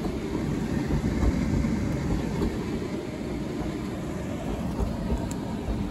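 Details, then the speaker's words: Hotpoint H2D81W UK 8kg condenser tumble dryer, street find, base damaged, apparently dropped in transit: steady low tumbling rumble with uneven thumps, roughly three a second, as damaged spots on the drum's front lip bump over the support rollers. "rings like skateboard wheels that support the um the drum on the front lip sounds like there's damage there and it's hitting it because there's so at one point that's the first bump hitting the first bearing then there's both bumps hitting both bearings"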